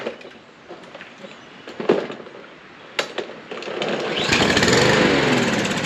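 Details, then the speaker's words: Troy-Bilt mower, Briggs & Stratton engine, sat 3–5 years, fresh gas added: sharp pull-cord snaps, then it catches and runs rough and uneven without settling; fuel problem, possibly stuck carburetor float/needle, suspected, not confirmed. "wonder why it's doing that we put some fresh gas in it see if with fresh gas that I know is fresh it starts so for some reason or that it won't keep running"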